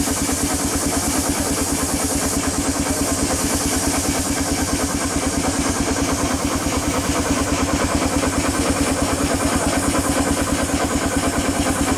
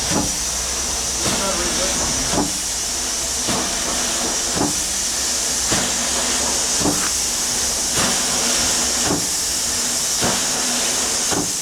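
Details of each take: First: 1895 Bates Corliss steam engine (14" bore x 36" stroke, 10 ft 9000 lb flywheel) on first runs after 80+ years idle; even, regular beat about 140 per minute, all knocking now gone, only steam leaks remain to fix. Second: 1895 Bates Corliss steam engine, 14" bore x 36" stroke, 10 ft 9000 lb flywheel, first start in 80+ years on about 50 psi: slow chuffs with sharp knock each stroke about once a second; rod bearing needing adjustment.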